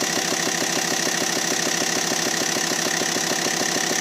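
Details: Abnormal engine noise on a T5: sharp, even ticking knock about three times a second over the idle, steady throughout; cause not pinned down.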